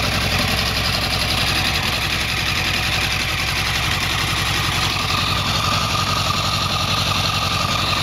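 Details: 2008 Yamaha R1 inline-four at cold start: idles with a steady fast ticking over busy mechanical chatter; cause not identified; engine ticking at cold start.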